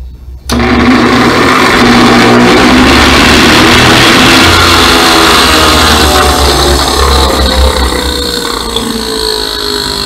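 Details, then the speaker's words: Carrot juice extractor spins far too fast with a loud, harsh whirring roar and throws pulp outside instead of storing it. The cause is a broken internal speed resistor with snapped wires. "et ils ont vu comment il tourne beaucoup et fait du bruit comme ça, plutôt moche."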